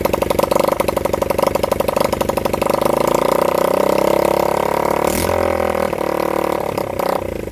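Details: Honda CB100N single-cylinder motorcycle on its first start in over 20 years, fed from a half-flat battery; uneven, stumbling beat that surges and sags with the throttle and keeps faltering. Rough running, possibly a gummed carburettor.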